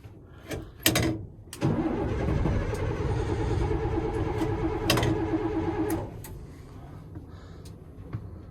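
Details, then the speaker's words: M1085A1 5-ton military truck, cranked on jumpered 24-volt battery bank in cold wind, oil pressure built: starter churns slowly and evenly about four seconds, never fires; crank no start, possibly lost prime, suspected injection problems. "The truck is a crank no start, and now we're seeing why it was parked. Probably injection problems."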